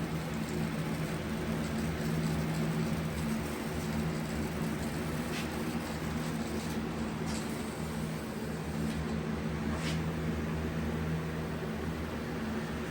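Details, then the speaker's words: Powder coating aluminum rims in matte black, spraying the back side: steady low electrical buzz over booth fan hiss, back-ionization causing visible framing around the rim edges. "now we're going to do the back because of framing you can hear the buzzing"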